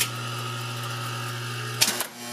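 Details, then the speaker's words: 1970 Wurlitzer 3400 series jukebox: steady low electric buzz and whir from the selector, then a couple of sharp mechanical clunks as it latches; a normal selection cycle. "Now you might ask, how does it know what record to play? What was the point of that sound before the carousel started to move?"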